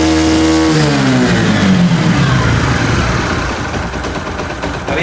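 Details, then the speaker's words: Motorcycle with spark plug gap set wrong (about 0.4 mm) that keeps stalling and won't idle. Revs sag and fall away, then the silencer turns ragged and uneven with popping. Misfire from weak spark due to the wrong plug gap. "और DC में अगर आप देखेंगे silencer से फटफट करके sound आ रहा है, मतलब ये मिसिंग भी कर रहा है।"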